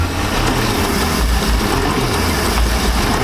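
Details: 1999 Chaparral 1930 SS boat's inboard engine after priming, steady low even rumble with no misfire or knock; run only briefly because water isn't hooked up yet, to protect the water pump.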